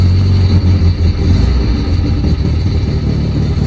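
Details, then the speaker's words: 1967 Volvo 1800S, often left sitting for months, cold engine idling on partly pushed-in choke in neutral before warm-up. Even, steady low rumble with a regular firing beat and no misses or knocks; normal cold idle. "You can leave this thing sitting for a couple of months, which I have done frequently because I just didn't drive it that much, and then start it up. And then once it gets warm, you can push the the choke all the way in."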